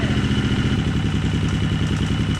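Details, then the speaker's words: Husqvarna four-stroke street-legal bike with idle turned down low: uneven low lumpy idle with light mechanical clack each beat before stalling; harmless auto-decompressor on exhaust cam ticking, not engine damage. "That is super concerning for a lot of people, and I completely understand why, because it sounds like bad things are happening in the motor. It's not bad things. It is the decompression. It's the auto decompression on the exhaust cam."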